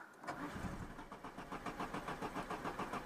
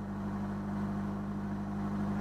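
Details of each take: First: Citroën BX 16 TZS, barn-find, warm engine: brief crank, then catches into a lumpy, pulsing run about three beats a second; when hot it only starts with throttle, as suspected. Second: Citroën BX 16 TZS automatic, hot start needing throttle: steady, even hum at a raised idle of about 1500 rpm with no misses or knocks while the automatic choke is on; normal fast idle.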